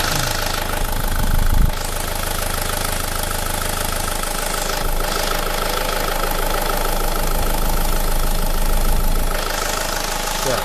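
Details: SsangYong Kyron diesel, revved after a vacuum-hose tee was removed and rerouted: a thin steady whistle rides high over the engine, rising and settling with revs. The turbo is squealing; the owner suspects an air/vacuum leak, cause unconfirmed.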